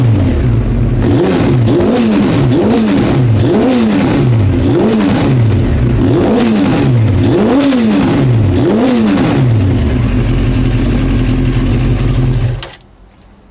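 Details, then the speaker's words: Honda CBR900 Fireblade after a running-issue repair with minimal fixing, tank and airbox refitted: crisp, repeated throttle blips rising and falling cleanly with no stumble, misfire or backfire; normal, healthy revving. "Right. I think it's fixed. Yeah, sounds like it."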